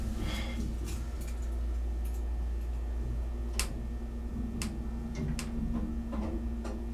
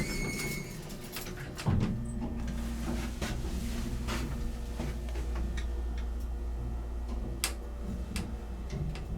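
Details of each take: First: Sound (Rotary/Dover) hydraulic elevator, 1200 lb capacity: scattered sharp clicks at uneven spacing over the running pump's steady low hum; doors have previously stuck open, door lock suspected. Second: Antique 1950s-60s Sound (Rotary/Dover) hydraulic elevator, 1200 lb capacity, Alki Sands, Seattle, riding in cab: steady quiet low pump hum with light clicks, runs like new and levels well; normal hydraulic elevator run.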